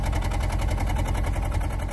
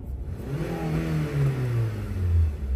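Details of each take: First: 2007 Honda Civic running very rough with a flashing check engine light, engine and tailpipe shaking; uneven lumpy idle with skipped beats breaking the exhaust pulse, power loss; misfire from a failing ignition coil on one cylinder. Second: 2007 Honda Civic after new OEM ignition coils (old plugs kept) to fix misfire codes P0300–P0304: engine pulls up cleanly through two accelerations, strong and smooth, no stumble or shake; excellent power, though check engine light returned. Normal acceleration.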